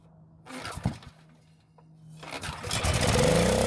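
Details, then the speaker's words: Generac generator that sat for a very long time and won't start, with dark, likely bad fuel in the tank: a few clatters, a quiet gap, then it fires on fuel squirted into the carb throat and climbs to a rough run; ignition and compression fine, fuel supply or carb at fault. "so the engine started and ran on the fuel I put into the carb which means we have a working ignition system and enough compression from the engine"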